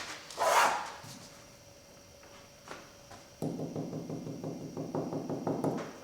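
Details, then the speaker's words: Veneer door after glue clamping with MDF and wax paper: a run of quick light taps, some ringing hollow and papery; veneer still delaminated, especially toward the ends. "sounds like we've still got a little bit of uh sounds like we've still got a little bit of delamination especially down here towards the ends"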